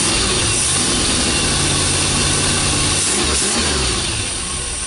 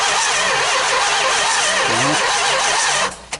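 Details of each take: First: 440 big-block Mopar engine, first start in 23 years, run off the car: steady, even V8 idle at about four beats a second with no knocks or misses; runs well. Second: 440 big-block Mopar engine, unrun for 23 years, starter wired directly: engine spins with even compression pulses for about three seconds but never fires; cranks, no start.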